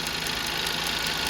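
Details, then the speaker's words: Volvo 2.0 L turbo petrol mild hybrid (B3/B4) idling after wastegate flap rattle repair: even idle with light regular tick about five times a second, normal injector noise; no faults, misfire or turbo rattle. "You can sometimes you can hear ticking sound. It's just the injectors."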